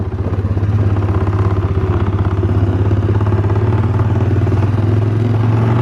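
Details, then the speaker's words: 2017 Polaris Sportsman 450 in below-freezing weather: steady low engine throb with loose, uneven clanking riding with the motor, from the big intake pipe under the seat rattling against the plastic near the gas cap. "now I'm pretty sure you could hear that on the camera it was making that terrible clanking noise"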